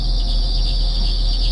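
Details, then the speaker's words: 2014 Perodua Myvi with 88,033 km, cold morning start at idle with the air-con switched on: steady high chirping "mouse" squeal from a slipping accessory drive belt, louder with the bonnet open. Fixed by spraying belt treatment onto the moving belt. "So kita buka aircond. Kita buka aircond eh. Buka aircond. Nampak ada bunyi geng eh. Ada bunyi."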